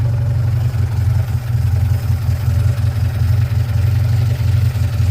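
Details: 1947 Austin 16, first start in about 17 years, with only a rebuilt fuel pump, original cleaned points and condenser, a little choke: a deep, fairly even low four-cylinder throb with no knocks or misfires; normal running.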